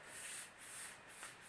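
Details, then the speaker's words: Honda Bros cylinder head, DIY pressure test at 100, engine not running: steady airy hiss pulsing, clearly escaping from exhaust valve with very little at intake valves; exhaust valve needs more work before assembly. "okay so you can really hear it's coming out of the exhaust valve you see that and almost nothing of the intake by valves or at least very little are the intake valves"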